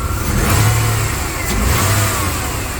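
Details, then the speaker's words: 1993 Chevrolet S10 Blazer after engine install, warmed up and running a little hot, noisy alternator and suspected failing battery: engine revs and settles smoothly with deep, even exhaust, no knocks or ticks, great oil pressure; sounds healthy. "Pretty exciting. Sounds good. It's got great oil pressure too."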